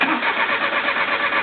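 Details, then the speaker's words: 1995 Geo Metro 1.0 L three-cylinder, 141,000 miles, no spark and no check engine light after overheating; many ignition parts, ECU replaced: starter cranks at a steady, even rhythm but never catches; crank no start. "but this still doesn't do anything my check engine light doesn't come on"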